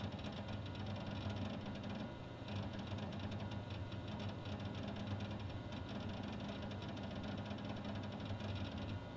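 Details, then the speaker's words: Old Windows XP PC with 2 GB RAM whose hard drive is described as pretty much dead: rapid, irregular ticking and chattering over a low hum while opening My Computer, which took 35 seconds to load. The drive is struggling to seek. "you're going to A, hear how noisy the hard drive is, and B, see how long it takes to load that."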